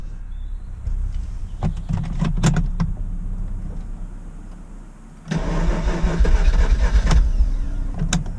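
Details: RX8 rotary engine cold start: misfires and runs rough the first few seconds, then surges to a steadier high idle where misfire isn't noticed; later fixed, cause was incorrectly wired injectors.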